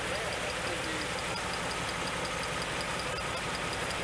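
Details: 1988 Pontiac GTA V8 with 45,000 original miles, fuel pump just replaced, cold start running about 3–4 minutes: rough idle under a steady roar with faint quick ticks, a light ping. Timing possibly too advanced; cause not confirmed.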